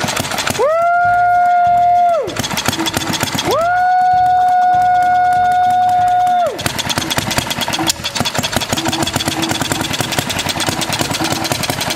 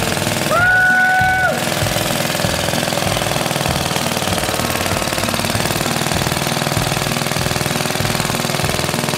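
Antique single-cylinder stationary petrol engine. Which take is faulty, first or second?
first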